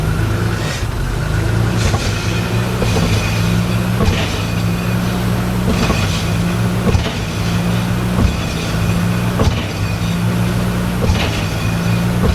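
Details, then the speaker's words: 1986 Nissan 300ZX, flooded by salt water in a hurricane, engine running and put in gear: a steady low engine drone with a dull thump about once a second as the rear diff shifts; a broken mount or bushings is suspected. "Okay, so when you do that, your whole rear diff kind of bounces. And it's like the support for the rear diff is moving, like there's something loose."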